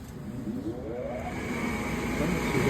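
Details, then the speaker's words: Gas furnace after replacing bad igniter with burned connector: motor spools up with rising whir settling into steady even hum, no rattle or scrape; inducer starts normally, pressure switch, igniter glow and gas valve click follow. "the M go through the pressure switch and we're going to have the ignited glow it's glowing right now and you'll hear the clip for the gas Val click gas there it goes"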